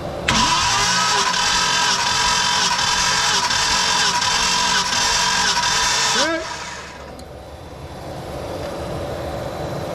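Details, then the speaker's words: Project car cranking on a compression test after sitting 11 years, once a security-system fob battery fault was fixed: strong, even cranking about four beats per second, no lazy strokes; reads 120–130, so a bad cylinder is ruled out. "Alrighty, that'd be a 120, that's 130, so not bad. I'm glad that it shows that. That means that something else that's wrong, not a bad cylinder."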